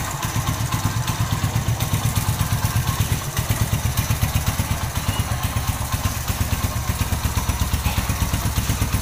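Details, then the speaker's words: Win Detech 110 single-cylinder motorcycle after one year of use, idling: light metallic clatter over steady thump from cam chain after long running; owner plans to replace cam chain. "Máy đang nổ galanti nè nhưng mà bạn nghe là nó có cái tiếng là nó kêu sên cam đó thì chạy lâu là là nó kêu thôi"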